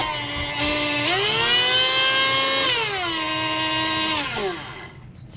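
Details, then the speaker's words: KitchenAid stand mixer stalls under slight pressure: motor whine climbs and dips with load, then sags and stops, needing a nudge to restart; cause unknown, owner found a video suggesting a specific internal gear. "if you're mixing something with this mixer you can't put pressure on it because when you're mixing you have to be mixing something a little pressure on this meaning that it'll stop meaning you can't use it use it so see it stopped"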